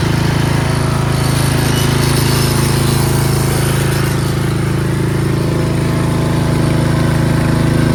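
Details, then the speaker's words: Craftsman 13.5HP 30-inch rear-engine riding mower running with its switches bypassed: a strong low thump about four beats a second with a buzzy vibration on top. A loose clip rattles against the frame and still vibrates even after taping. "That annoying noise is this clip over here. Put some tape on it, but it still makes some vibrating noise."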